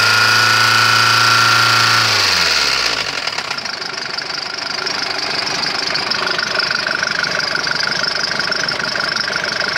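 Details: Mercedes OM601.970 diesel running steadily with a regular sharp knock about three to four times a second over the idle clatter; engine knock, cause undetermined.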